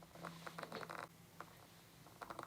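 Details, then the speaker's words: Sigma 18-35mm f/1.8 lens, microphone mounted on the camera: faint scratchy creaks in short bursts as the autofocus motor hunts focus in a quiet room; loud but normal autofocus motor noise. "that's the sound of the autofocus motor inside the lens so if you're going to be using this to vlog with you want to be really careful because the autofocus motor is really really loud on the kit lens"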